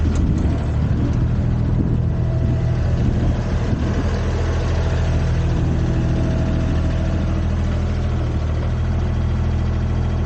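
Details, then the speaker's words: Used Komatsu PC10-3 mini excavator (hydraulic controls, thumb), hood down, running at low idle, just enough to keep the battery charged: steady, even low diesel rumble with no knocks or misses; normal idle. "That's the sound the machine makes at low idle. Just enough to keep the battery charged and not discharge it."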